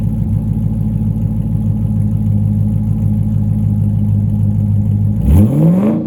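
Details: C5 Corvette Z06 V8 with upgraded aftermarket exhaust: deep, even burble at steady idle, then shut down with pitch sliding away; more sports-car sound but not too loud. Normal idle.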